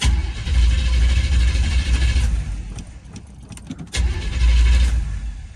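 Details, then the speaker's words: Old-school Chevrolet that sat unused, hard starting: long rough cranking before the engine catches and revs as the fuel pump kicks in; owner plans to replace the fuel pump. "Let's see, that fuel pump will kick in a second, hopefully. There we go. Now I hear it."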